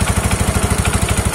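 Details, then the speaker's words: Yamaha Mio scooter with a knocking complaint from the CVT. Steady idle with a rhythmic clatter about ten times a second from the belt-drive side. Knocking from a worn, too-loose variator. "ini inti permasalahan yang timbul suara petok-petok yaitu bagian ini ini terlalu kendor tidak molor bernyali"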